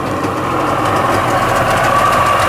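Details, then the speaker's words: Sea-Doo XP 720 two-stroke, freshly rebuilt, broken in on conventional oil then switched to synthetic, driveway run on flush hose, driveline disconnected; crisp steady idle with even firing, no rattles or knocks: normal idle. "Then we switched to synthetic. She's loving it, man."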